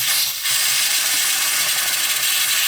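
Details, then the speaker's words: Win Gas butane lighter after repair, gas check: sharp gas hiss spurting, dipping and surging instead of flowing smoothly, air still in the tank; purge the tank. "Hear how it's kind of spurting out there? Still had a little bit of air in the tank."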